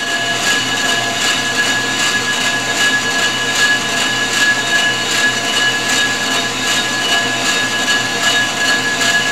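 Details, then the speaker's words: Ford 460 flywheel being faced on a G0776 lathe, cutting from the inside out: steady high-pitched ring over the cutting hiss, pulsing about once a second. Tool chatter ("ringing the bell") as the cut moves farther out. "once it's a higher pitch green now we're further out we're ringing the bell"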